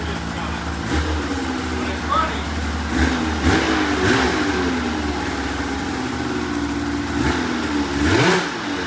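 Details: $500 2004 Polaris RMK 800 two-stroke snowmobile, first start after head reinstalled with used O-rings, cold: crisp blips, revs climb and drop back cleanly, no misses or stumbles; healthy and responsive.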